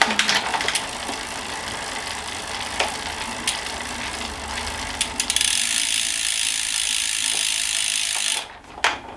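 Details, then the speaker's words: Planet X E130 used carbon bike: fast, even freewheel ticking with quick, clean clicks as the chain moves across cogs; slight hesitation shifting up, otherwise crisp, front shifting perfect. "little bit of a hesitation going up but [Music] um no that's fine just be front perfect"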